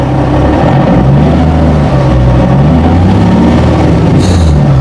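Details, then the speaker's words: Nissan 370Z at almost 200,000 km, earlier suspected of rod knock: the engine revs up cleanly and settles back to a steady idle, with no knock or tapping. Normal engine running. "it's not making it anymore. It's making all the right sounds, so I don't know what's happening."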